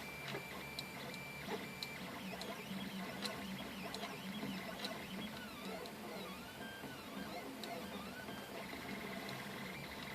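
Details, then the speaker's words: 3D printer at 200% speed (80 mm/s print, 40 mm/s outer shell): rising and falling stepper tones with sharp rattles from loose screws, which stop when the screws are held by hand. "So if I grab these screws, all the rattling goes away. If I let go of the screws, you can hear the rattle."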